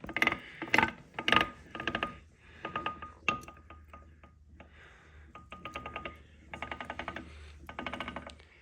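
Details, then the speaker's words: Benford 32D site dumper PRM Newage 40M2 three-speed gearbox, turned slowly by hand during teardown after metal shavings found: uneven bursts of metallic ticking and clicking; suspected bad gear rather than bearing, not confirmed. "hear that noise see those are the gears that I'm thinking might be bad that gear might be bad there"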